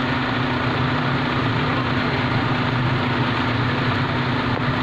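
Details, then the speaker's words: Suzuki Liana petrol engine after an ignition coil misfire and RPM fluctuation repair, idling with AC and headlights on for full load: steady, even hum, stable RPM, no stumbles, dips or vibration. "On है engine RPM बिल्कुल stable हो गए हैं अभी आपको accelerator करके भी check करवा देते की अब हमें एक सिलेंडर देता हूं इंजन कहीं पे भी रुक नहीं रहा किसी भी की संग वाइब्रेशन नहीं दिखा रहा है"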